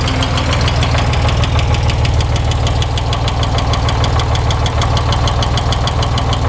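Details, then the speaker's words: 1961 Corvair Lakewood wagon 80 hp flat-six, Powerglide, fresh rings and valve job, hot after 20 min: rapid even metallic rattle over throbbing idle, like something loose spinning; fine cold, oil pressure slightly low hot; rod/wrist pin ruled out, thrust bearing suspected. "it runs great when it's cold but as soon as it heats up it's got a rapid rapidy sound and sounds like something's swinging away inside loose"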